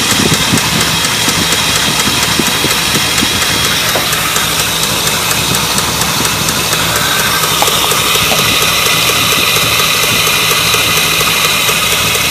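An idling V8 with a light, fast ticking riding on top of the steady engine note: lifter tick. Cause suspected, not confirmed.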